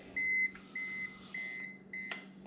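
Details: Consumer-grade UPS battery backup running on battery during a waveform test, its battery probably near the end: short, evenly spaced high beeps about two per second over a quiet room; the cause is suspected, not confirmed.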